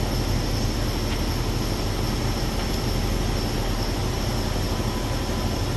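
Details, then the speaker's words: 2020-2024 Ford Explorer moving just after fix for ting/pop/snap noise: CV axle splines cleaned, lubricated with high-temp wheel bearing grease and retorqued; steady road and driveline rumble, no clicks, pops or snaps. "I torque everything back down, and they don't get the clicking anymore."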